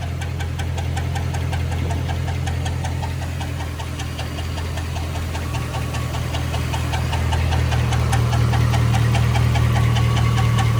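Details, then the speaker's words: 2006 Chevrolet Silverado on jack stands, heard from underneath at idle: a regular light knock of about three per second that follows engine rotation. Owner suspects the torque converter or flex plate, source not pinned down. "maybe it is the freaking torque or the uh flex plate I don't know I cannot tell where it's coming from"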